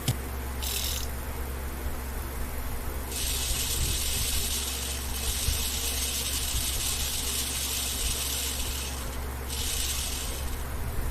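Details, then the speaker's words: TAMPO CRV-709A language learning machine, disc spindle after motor turntable repair and lowering the height so it no longer sticks: soft even whir with a light hiss, no scraping; now quiet. "Được rồi, bây giờ có vẻ như Không còn tiếng ồn"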